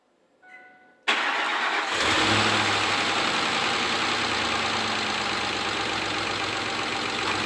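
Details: Ford 5.4L 3-valve truck engine with known scored crank bearings: fast, light, steady clatter over the idle after start; bearing damage, oil pump kit to be installed.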